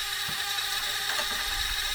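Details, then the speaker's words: Vintage NOS cassette recorder, otherwise fully functional; dry fine ratcheting chatter over transport hum from the tape counter, which needs a little oil. "This one is 100% functional. Just got to fix that counter. That's a bit noisy."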